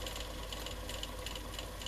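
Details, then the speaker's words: Murphy TR1 tape recorder with Garrard tape cartridge deck, winding tape off: quiet even whirring with light regular ticking; very fast wind suggests the mechanism is in good condition. "Like, you know, very fast wind. Look at that, a very fast wind, very fast. Which suggests that most of this is in good condition."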